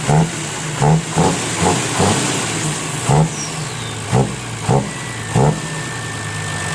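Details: Diesel 6HH engine (210) with owner-reported lack of power, after injection pump tune: steady idle with quick throttle blips that pick up cleanly and settle back evenly; normal idle.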